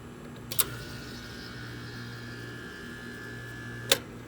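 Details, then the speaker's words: 20-year-old Trane 18 SEER AC unit, after wiring repair for breaker tripping and new capacitor fitted, crankcase heaters disconnected: low steady hum, faint whine, two clicks; low-stage compressor starts and stays running normally. "well it came on and stayed on that's the first time we've seen that yep there's the low compressor"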